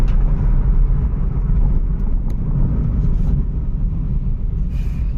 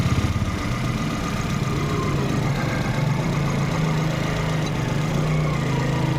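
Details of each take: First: Volkswagen Polo/Vento on the move after repair of cylinder 1 misfire (P0301) with EPC light at 60–70 km/h; broken vacuum pipe replaced: steady low cabin rumble, no stumbling, no warning lights; normal running under load. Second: Volkswagen Polo/Vento petrol at idle, cylinder 1 misfire (P0301) with engine and EPC lights, also missing at 50–70 km/h: rough uneven thrum; no pulse at cylinder 1 injector though coil has current.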